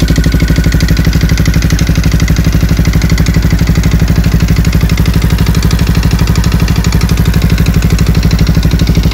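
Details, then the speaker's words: Yamaha WR125 single, after valve clearance adjustment (exhaust 0.20 mm, intake 0.10 mm) and oil change that didn't help: hard, even clatter every beat at idle, about two a second; bottom-end knock, crankshaft bearings suspected worn. "klepać jak klepał tak sklepie ani regulacja zaworów ani wymiana oleju nic niestety nie pomogło"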